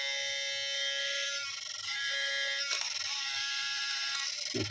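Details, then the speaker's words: Sony A7 III camera buzzing as soon as it powers on, though it still takes pictures: thin, steady high buzz with a ratcheting edge. The in-body image stabilizer is suspected as the faulty part. "Nah, kalau kayak gini biasanya ini dibis atau stabilizernya ya. Berisik banget suaranya. Kayak kemasukan orong-orong."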